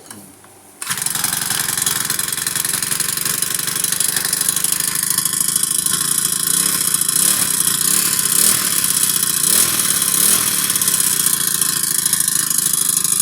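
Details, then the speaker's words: Old Honda GX35 four-stroke brush cutter that repeatedly won't start: catches and runs but speed wavers up and down instead of holding even idle; valves ruled out, carburetor fuel-air mixture suspected, needs adjusting leaner or cleaning. "ผมเข้าใจว่ามันน่าจะมีปัญหายืช่วงสวนของคาบูนะครับผมเพราะว่าผมได้ปรับจากที่คิดว่ามันอ่าน้ำมันมันลงน้นะครับผมก็ปรับขึ้นแล้วปรับขึ้นแล้วบ่ติดนะครับมันต้องได้ปรับลงนะครับอ่าคือส่วนผสมระหว่างน้ำมันกับอากาศนี่ครับ"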